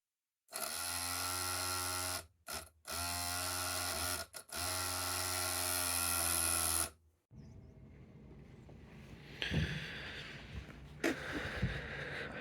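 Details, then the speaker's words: Volvo 240 in-tank fuel pump, engine off: a steady buzzing whine with a couple of brief dropouts; the noisy pump is the main reason for replacing the pump and fuel sender. "fuel system also the main reason why I'm doing this to be honest is because we've got a bit of a noisy intank pump"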